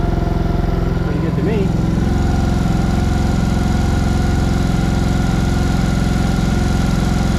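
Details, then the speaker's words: ATV after carburetor repair (leaking carb, suspected stuck float, drained and fixed, slight throttle adjustment): steady, even single-cylinder putter at fast idle with no misses or stumbles, running better than ever. "all right sounds like it's that one right now that sounds good all right let's shut up and try started again running better than ever did"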